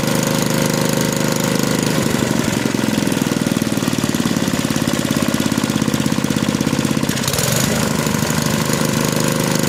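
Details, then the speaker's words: Small lab engine with properly set mechanical governor: pulls up to speed and holds a steady even chatter at top no-load speed, no hunting or surging; governor holding correctly. "so as you can see it starts it runs up to top no load speed and it stays there at a steady stable rpm that's what we want in a properly adjusted governor"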